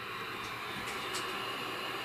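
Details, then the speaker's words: Macintosh LCII microphone input recording played back gives only a steady, even hiss with no signal, whether or not a microphone is connected and with any microphone; static from the recording input, cause not yet traced. "now what it does that whether there's a microphone connected or not regardless of what microphone I use all we get is static"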